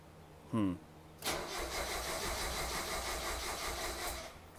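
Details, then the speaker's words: 1990 Mazda Miata after top-end rebuild: starter churns about three seconds without catching, cranking sagging as the battery runs down; engine won't fire. Firing order later suspected wrong (should be 3-2-1-4); battery may need charging. "battery's dying okay i might have to just charge the battery for a while"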